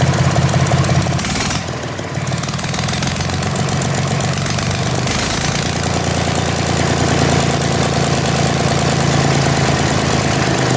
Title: Deutz d4005 start after rebuilding